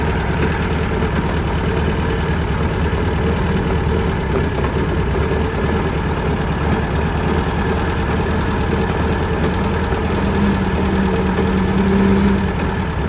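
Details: 1966 VW Beetle 1300cc, which also has an oil leak: steady air-cooled idle with a dull, irregular knocking under the fan noise; clunk at idle, cause unclear.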